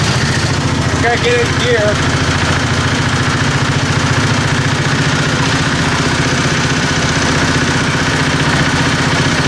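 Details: 725 small engine driving under its own power after sitting a long time, recently refueled. It chugs evenly under light load with no knock or misfire. It runs normally.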